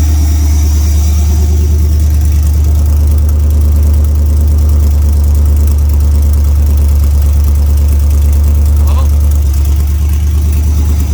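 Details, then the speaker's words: OBS truck with LS swap, cold start after first start, being checked for a misfire: deep, steady idle with an even beat and no stumble or miss; normal cold-start idle. "actually that sounds really good for a cold start"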